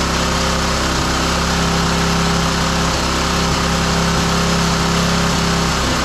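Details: Roadside-salvaged single-cylinder lawn mower engine for the Tommy Gun mini bike, after choke on then off; it gives a loud drone at steady speed with a slightly uneven, lumpy beat, running but not smooth. The spark plug is changed next.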